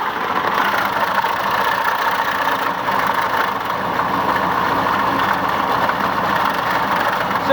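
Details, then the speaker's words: 1993 Chevy 3/4-ton flatbed, 6.5L turbo diesel with mechanical injection pump, idling: dense metallic rattle because the pilot bearing is out, letting the transmission input shaft wobble in the crank; fix is to drop the transmission and replace the pilot bearing. "you will hear a rattle start going on here sinking now i'll put the camera down so you can hear it the way it is the pilot bearing is out on this truck"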